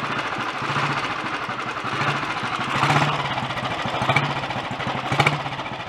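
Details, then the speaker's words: Early Redditch Royal Enfield 350 Bullet single after unblocking Concentric carburettor pilot jet and new oil pumps, ignition slightly retarded: slow even thump with light chatter from gear train to dynamo and magneto, no engine knock or smoke; healthy idle. "That's sounding alright. Most of that noise is from the gear train actually up to the dynamo and the magneto. The engine itself isn't clattery or knocky."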